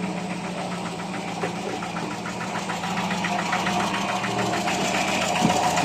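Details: Carbureted project-car engine idling after a full carburetor service to fix rough idle and hesitation: fairly steady idle with a regular light ticking, not perfectly even but more stable, with better throttle response.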